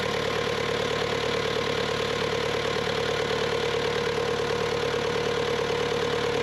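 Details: Bobcat T300 diesel skid steer: even, steady idle with a smooth rhythmic clatter and no misses or knocks; normal idle.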